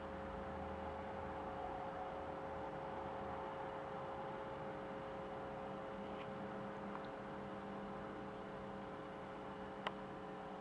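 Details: Steady low hum, thought to be AC mains hum, with buzzy edge under faint hiss from a Pinto J.C. Penney CB radio; persists despite new power-supply electrolytic capacitors, tested diodes, checked grounds and chassis grounding.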